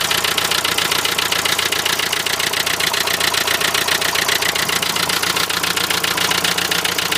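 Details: Renault Trafic van, 2.0 dCi M9R diesel at idle: sharp, even, crisp metallic rattle about 220 a minute over the idle; knock of unclear cause, owner suspects an injector.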